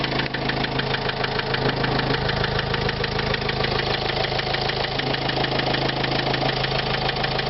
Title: СТУК двигателя на Renault Trafic 2005 1.9 DCI